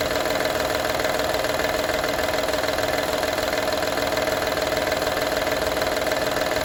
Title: Honda Odyssey 2012 - rattle sound